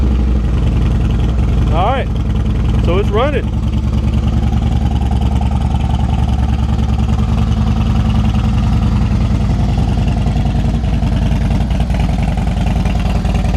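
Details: Harley Dyna Wide Glide, first run after reassembly with the tin set and tank installed. Deep, loping V-twin idle at roughly three beats a second, steady with no misses; healthy, sounds good.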